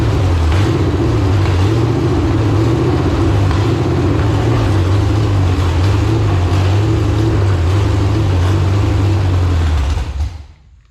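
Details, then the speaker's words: Iron-head LQ4 6.0L V8 (1999–2000) pulled from a shot truck, first start: deep rumble swells and sags about four pulses a second, then shuts off; idle hunting rich-lean, suspected fuel starvation, not confirmed. "it runs I actually sounded pretty good to be Rich lean Rich lean Rich lean so if I can get some actual fuel in the thing"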